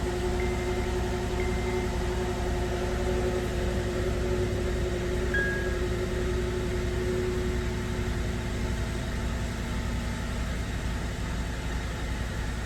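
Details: 2009 Acura TSX, 11-year-old original plugs just replaced with new spark plugs and coil packs pressed in; idle still stumbles as one cylinder drops out, misfire persists; injectors checked next.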